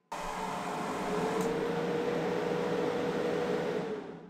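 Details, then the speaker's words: EZVIZ PS1300 portable power station under maximum load while charging at 1300 W: fan rushes to loud steady whoosh with faint constant tone, then winds down evenly; normal full-load cooling, nothing rubbing. "so the higher the load the louder it does get with that fan noise but this is going to be the loudest you will hear it"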